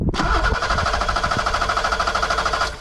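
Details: 1986 BMW 325e E30 sedan that turns over but won't start: starter chugs steadily about nine beats a second, never fires; no fuel to injectors, later found one injector clogged and five with very low flow.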